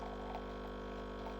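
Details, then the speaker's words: Breville Barista Express BES870 pump during a programmed double-shot extraction, pressure gauge at 12 o'clock in the grey zone, about 20 seconds in (42 g in 22 s): steady, even low buzzing hum, no surging or rattles; normal pump under brewing pressure. "this is running at an appropriate speed I would say now it's at 20 seconds"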